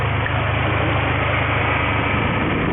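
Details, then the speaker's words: 2003 Mini Cooper two-speed radiator fan after fixing a burned-out fan resistor, engine idling: even low hum with smooth airy whoosh, no rattle or scrape; fan runs steadily at low speed, good fix. "and our fan came on. I'm going to call that a good fix."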